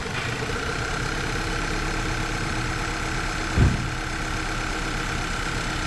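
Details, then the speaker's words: 2010 VW Eos 2.0L, rough running, hard start, black smoke: low steady idle with a dull thump; misfire stays on cylinder three, a few on two, after swapping the coil, so the coil is ruled out. "nope Miss didn't move still on three although there was a couple on two"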